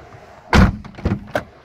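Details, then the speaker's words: ZAZ Chance car door closing after the squeaky hinge was cleaned with throttle body cleaner and worked open and shut: a solid thump and light clunks, with no squeak or creak left. "писков, визгов уже нету."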